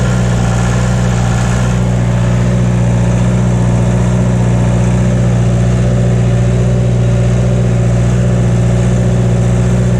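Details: John Deere 2030 diesel tractor, cold and not yet warmed up, idling right after reinstalling the overhauled and calibrated Stanadyne/Roosa Master injection pump: a steady, firm low throb with no misses or knocks, no blue smoke, burning clean; normal idle.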